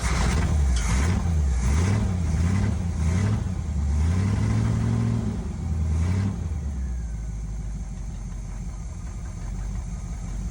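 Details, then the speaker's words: 1971 Chevy C10 V8, first start after sitting since about 2013, carb primed with fuel: engine catches, revs, then settles into even idle running on its own; healthy. "Okay, she started right up. She's running. She's running. She's idling. I think she's run on her own."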